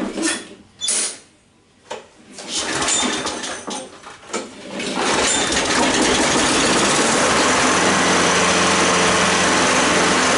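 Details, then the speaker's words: Curb-found 6.5 hp push mower, started with starting fluid: catches after sputtering, then runs a busy, slightly uneven beat; rough running blamed on gummed-up spark plug and dirty carburetor, plug to be changed. "hopefully it runs smoother spark plug was dumbed up and the carburetor yeah definitely"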